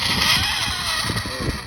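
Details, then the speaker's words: 1989 Kyosho Turbo Optima Mid SE RC car, first run after 30 years in a box: a high thin whine with jerky surges and gear rattle sounds terrible. The old electronics were later replaced. "God. That sounds terrible."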